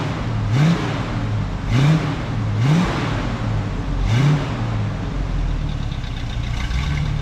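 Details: 1967 Camaro after 6 years of neglect: rough, unstable idle hunting and surging about every second. Owner wonders if the Edelbrock pump gives too much pressure. Two glass fuel filters fitted; carburetor to be rebuilt.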